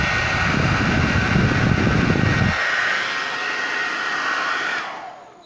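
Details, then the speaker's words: Suzuka hair dryer that wouldn't switch on, fixed by freeing a power switch button stuck with instant-glue-like residue: steady even fan rush with faint constant motor whine, no crackle or cutting out; running normally. "Bueno gente, ahí quedó el problema resuelto, problema solucionado,"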